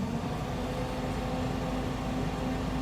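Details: 1967 Chevy C10 Stepside heater blower motor on medium with engine idling: steady even hum with constant low tone; blower spins smoothly. Low speed only works when switched from high back down, not from off.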